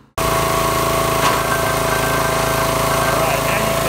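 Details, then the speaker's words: New wood splitter small engine after draining water-contaminated fuel and flushing the tank, now on clean fuel; steady even running, no sputter or misfire as before; normal running. "the splitter running it's not spammering and missing like it was before"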